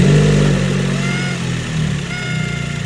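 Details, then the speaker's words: Ford Focus SC1 daily driver and track car, engine revving: a thin, steady whine rising with the revs over the exhaust. Owner suspects a leaking PCV crankcase baffle plate, a known issue on this car. "It just has this [music] weird whining sound and I think it's coming from the PCV crankase baffle plate and those tend to leak on this car."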